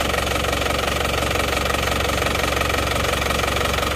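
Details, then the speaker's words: Isuzu Panther diesel after repair for blow-by and oil spray, one cylinder liner and Isuzu Indonesia rings replaced; steady, even diesel clatter at idle, no odd knocks or misses, though some blow-by still visible; smooth normal idle. "Jadi ini teman-teman Mobil ini walaupun ngobos kelihatan untuk suara halus Ya sudah oke"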